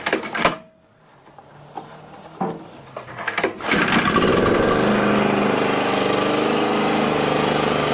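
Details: Exmark 21-inch mower that had grinding from the wheels, test-run after the wheel work: the small engine fires after a few handling clunks and settles into a steady, even run with no grinding. Normal running.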